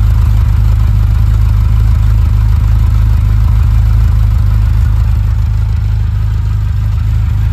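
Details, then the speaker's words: 1980 Ferrari 308 GTSi, recommissioned and freshly tuned, fully warmed with the warm-up light off: deep, even exhaust burble with a steady low pulse and no miss or tapping; a perfect, healthy warm idle. "She hit her temp. Warm-up light is off. And she is now in her perfect idle."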